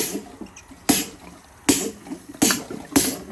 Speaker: as you see in here, we're sucking air.